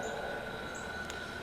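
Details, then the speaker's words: JVR Vac100 chamber vacuum sealer, quarter-horsepower pump smaller than the Vac110's, pulling vacuum: even, steady drone with constant high tone, no knocks or surging; pump pulling down smoothly and running fine. "just so you guys can hear how it sounds and see how it works in action, and that way we can compare maybe the difference in the sound."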